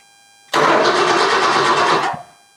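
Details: A 1965 Ford Mustang, mostly original, that has not run in over two years and had a fuel issue, is cranked after a fuel line is reworked and fuel flow to the carburetor checked. The starter churns about 1.5 seconds and quits: cranks but will not start.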